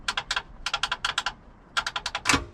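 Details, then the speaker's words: 1930-model boat bought cheap, first key turn: bursts of quick dry clicks about seven a second with no cranking; upper starter solenoid chatters without engaging, starter suspected bad, ignition cables still disconnected. "oh sounds like that upper solenoid clicking so it almost engaged right there"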